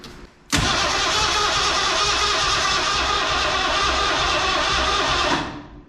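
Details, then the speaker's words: 1968 Chevy C10 with swapped Ford 302 and AOD transmission, first start attempt with some throttle: a steady starter whir for about five seconds, never firing; spark tester showed no spark, so the ignition system is being diagnosed. "no spot okay okay so uh we don't have any sparks so start diagnosing the ignition system on this thing"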